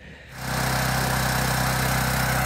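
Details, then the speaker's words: Gentron 10,000 W dual-fuel generator (GG10020GL) that previously ran only on propane, after fixing the carburetor fuel solenoid: catches and settles into a steady, even drone with smooth low hum; now running normally on gasoline. "all right so check it out it's running on gas"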